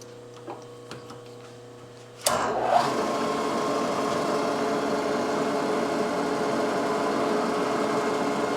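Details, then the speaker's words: Drill on a Yamaha YL2C Trailmaster 100 clutch basket during repair cuts cleanly straight through with a steady even hum and no squeal, unlike the earlier holes that squeaked hard at the start; normal drilling. "that's no squeaking or anything, that's just right through."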